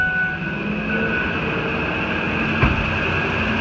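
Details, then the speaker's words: 2008 Ford F-250 after replacing a bad serpentine belt tensioner whose pulley was grinding: steady run with a faint high hum, no chirp, squeal, rattle or growl from the belt; accessory drive normal after repair. "look good running good that was successful"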